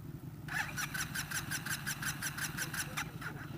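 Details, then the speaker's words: Scooter that wouldn't run: catches with a quick, uneven ticking patter of about three beats a second, then fades out after about three seconds and stalls. "It started, but then it died right"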